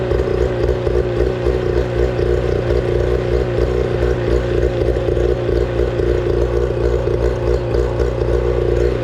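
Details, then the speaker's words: 25HP Mercury two-stroke outboard, sat four years, after carburetor cleaning and fresh fuel, running on water flush: steady, even burble at a slightly high idle, no misses or knocks; good water flow, runs cleanly. ">> Yeah, we got very good water flow right now. I mean, the engine is running same as it came out of the factory, guys."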